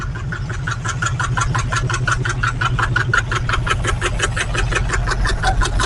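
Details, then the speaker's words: 1968 Camaro 327 V8, newly fitted Muncie 4-speed, just fired up after install: lumpy idle with an uneven pulse about three beats a second; not the usual knock, the distributor cap was on cockeyed, upsetting the spark. "It doesn't sound like the usual knock. Sounds like it's the distributor to me."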